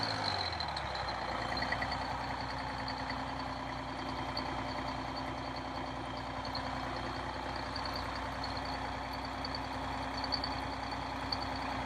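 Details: Detroit Diesel 6V92 in MC9 bus, cold start in late October (engine around 39–40°F): after more throttle all cylinders light and it settles to a steady, even idle with no missing beats; owner suspects leaking/clogged injectors or stuck rings.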